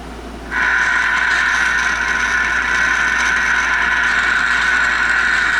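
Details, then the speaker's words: Circa 1962 Magnavox WT-101 handheld 100 mW CB radio, probing front end after bumping it: loud steady hiss with tone-like band cuts in abruptly and holds; owner suspects bad bypass caps, unconfirmed. "That sounds like holy hell, doesn't it? Don't know what I did to make it work that much."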